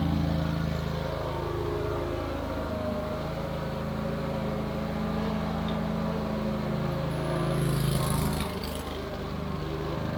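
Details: Wright Stander stand-up mower engine after carburetor replacement (it previously died unless choked): steady, even drone at constant speed with no misses or surging, running smooth and healthy; tank fuel grommet still leaking.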